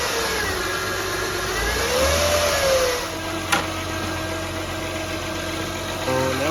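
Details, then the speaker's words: 2003-2008 Honda Pilot engine with a thin steady whine that rises in pitch as the engine revs, heard via stethoscope at the alternator housing: alternator whine; alternator replaced. "there's a whining sound, and it goes along with whenever you step on the gas, the engine speed increases, the whining increases as well."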